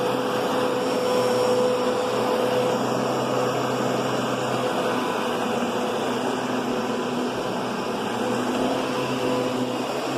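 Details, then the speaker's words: Kenmore Progressive upright vacuum: steady mellow motor hum, much quieter and softer than a Kenmore Intuition's louder whine; motor running normally. "But, the Intuition is a lot louder. It's just got a louder whine. And this is just a way softer tone."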